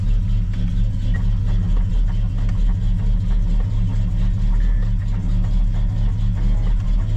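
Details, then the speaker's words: 1987 El Camino SS V8 just started with starter fluid, accelerator pump not working, old fuel in tank, carburetor awaiting rebuild: steady even low rumble, no knocks or ticks; normal smooth idle. "But if you listen, she sounds really good under there. There's no tacking, no strange noises, just smooth as silk."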